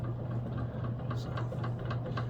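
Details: Antique early-to-mid-1920s Robbins & Meyers 52-inch ceiling fan at full speed, about 200 RPM, under 2 amps, very little oil: low motor hum with light knock about four times a second as the rotor rocks on the worn shaft.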